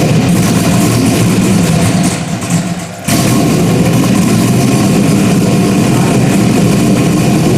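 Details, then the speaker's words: Rebuilt 5.3 V8, first start after nearly a year of rebuilding: loud, deep, lumpy idle steady apart from a brief dip, no knocks or ticks, a little spray and a drip seen; sounds healthy. "it does smell good am she sounds good has a nice tone to it"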